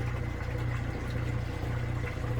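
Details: Kenmore 80 Series washing machine, test run after motor coupler and motor swap, smallest load: steady low drain-pump hum with water rushing through, no rattle or grinding; the pump is emptying the tub normally, spinning while it drains.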